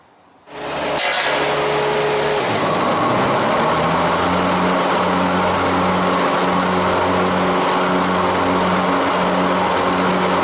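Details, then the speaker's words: Hustler Z zero-turn mower with 72-inch XR7 deck, after replacing idler pulleys and blades: engine settles into a steady loaded hum with blades engaged, belt staying on with only slight jumping; normal running. "so far the blade or the belt stayed on there so the belt stayed on it you've seen it was jumping just a wee little bit"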